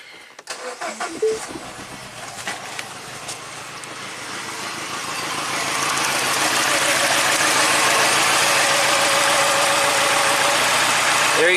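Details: 2010 Mini Cooper, 100,000 miles, after DIY timing chain failure bent valves and head and timing chain replacement: clicks then steady idle with regular slightly uneven pulse, one dead cylinder; injector test on cylinder three, scope check pending on cylinders three and one.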